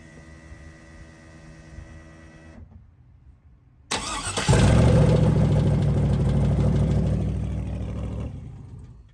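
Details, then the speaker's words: V8 heard idling down at shutoff; loud rough idle with a steady tat-tat ticking knock about four per second; chewed lifter and wiped cam lobe, first judged bottom end. "I didn't hear it until I flipped the switch and it was idling down. Then I heard that tat tat tat tat. I was, oh no, That's bad."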